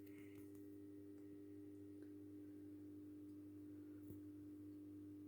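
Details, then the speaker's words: Philips Marina 10 street lamp with Philips 70 W lamp, just after the starter fired while the discharge tube warms from white to yellow: steady low mains hum with faint higher buzz, no crackle or flicker; normal ballast hum. "On entend un joli ronronnement du ballast, qui est assez stylé."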